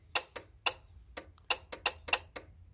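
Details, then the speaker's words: Renault Clio II AC compressor clutch powered directly by jumpering the middle fuse/relay socket: sharp, irregular clicks as the clutch snaps in; compressor and its wiring are good, so the fault lies in the control or power supply. "c'est à dire que notre compresseur il est en bon état son circuit électrique il est bon il marche bien"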